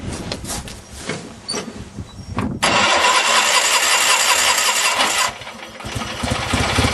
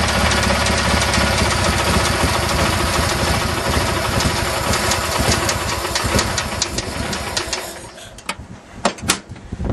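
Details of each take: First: Craftsman GT6000 mower Kohler V-twin after fuel pump and carb rebuild, with governor not hooked up: cranks, fires, then screams at high unchecked speed; engine overspeed with governor disconnected, owner worries about blowing a head gasket. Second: Craftsman GT6000 mower with Kohler V-twin, jump-started after fuel pump replacement with a homemade gasket and a carb rebuild whose kit added an air-swirl attachment: loud, steady, strong running that pulls evenly, then winds down to clicks. Normal running.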